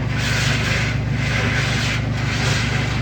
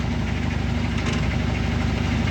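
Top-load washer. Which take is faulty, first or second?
first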